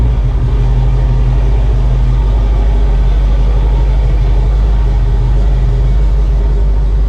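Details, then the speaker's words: Restored Ford F-150 pickup, started with more than two gas-pedal pumps: deep steady even rumble at idle, no misses or knocks; fired right up and idles smoothly. "well it definitely it took two more than two pumps of the gas pedal but it did definitely fire rate up"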